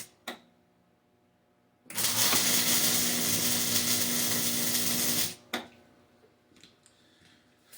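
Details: Hobart Ironman 240 MIG welder with the ground clamped directly onto the workpiece. A steady, even frying crackle lasts about three and a half seconds with no popping or stuttering: a good, stable MIG weld.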